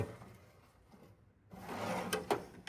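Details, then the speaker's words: Snap-on KR650 36-inch toolbox top drawer pulled open: rough gritty scrape and a couple of thuds as rusty friction slides grind, some liners worn out; slides are straight, plan is cleaning, rust removal and lubrication. "The slides slides, the friction slides are a little rusty, so I'm going to pop those out."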